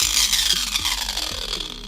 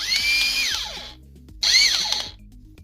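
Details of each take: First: Bosch angle grinder before repair; harsh high rasping grind with rough uneven texture over the motor whine as it spins down, a very ugly noise from worn pinion gears in the gearbox. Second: Bosch angle grinder after replacing the worn pinion gear; high, even whine winds up quickly, holds steady and winds down cleanly with no grinding or rattle; gearbox sounds healthy, though the brushes are somewhat worn.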